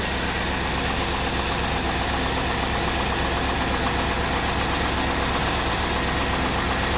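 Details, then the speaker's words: 1999 Cadillac Deville Northstar after subframe swap, on its warm-up loop: smooth, even, quiet idle with a soft steady hum and no knocks or ticks; normal idle. "Car is still nice. It's quiet, too, which I like."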